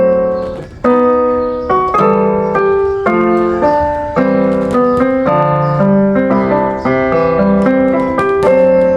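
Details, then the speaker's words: California GM650 keyboard after repairing its broken power input port and cleaning the hoarse-sounding pitch bend/modulation control with quick-dry spray: clear, steady piano chords with no hiss, crackle or hoarse buzz; normal clean sound. "Esto seca rápido, colorín colorando, y este piano está sonando."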